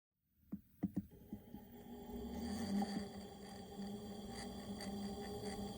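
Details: AC Infinity Cloudline 4-inch inline fan from an Air Filtration PRO kit, 1–2 years old, carbon filter removed; after taps it spins up to a steady low buzz with airy hiss, bee-like buzzing noticed for months, cause not evident.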